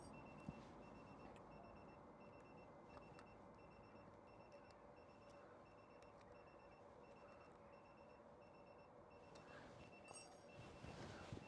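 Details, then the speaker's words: Citroen Ami with aftermarket TPMS valve-cap sensors just screwed on: steady short high-pitched beeps about three a second. The low-pressure warning sounds because tyres read about 2.1 bar while the alarm limit is set higher. "I'll spin that on quickly and then this that's it beeping"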